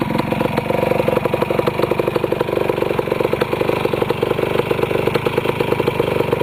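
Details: Restored 1973 Yamaha CT175 two-stroke with rebuilt carburetor, just started: crisp, quick ring-ding popping staying even and steady without dying or surging; healthy idle, starts very easily.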